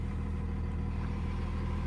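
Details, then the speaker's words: 2nd gen Cummins diesel truck with NV5600 and dual disc clutch, after short throw shifter install, heard in cab with doors shut: steady low idle rumble, smooth and even, clutch noise no longer audible. "can't really hear the clutch anymore."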